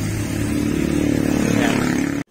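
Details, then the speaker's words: Motorstar Easyride 150 single after fitting improvised repaired timing chain tensioner: loud noise gone but uneven, stumbling idle with dropped pulses before cutting off; misfiring from incorrect valve timing. "Ngayon ang problema nung pinaandar ko mga pare ko nawala yung kanyang ano nawala yyung kanyang tunog na Maingay kaya lang hindi maganda yung andar so palyado siya mga parekoy"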